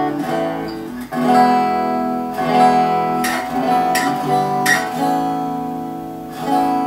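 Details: Gretsch Electromatic G5120 hollow-body guitar after the bridge saddle rattle fix (springs added inside the saddles to tension the screws), set up and intonated: strummed chords ring clearly and sustain evenly, with no buzz or rattle from the bridge.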